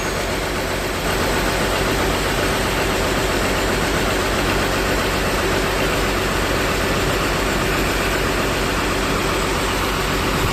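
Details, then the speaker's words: ALS 234 Mercedes-Benz bus under repair: loud diesel idle with a coarse, steady grinding rumble underneath that never lets up; the source is unknown and the clutch and gearshift are being discussed. "sepertinya sudah mau jadi kayaknya tapi bunyi grok itu apa ya"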